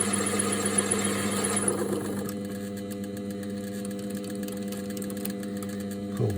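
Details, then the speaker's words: Mini lathe turning aluminium for humanoid robot parts: hissy cutting noise for two seconds as the tool contacts the full surface, then a clean steady motor whine once the tool pulls off; normal cutting. "You can hear it just start to contact the jaws, pull it off again. And again, you can hear when it's contacting the full surface."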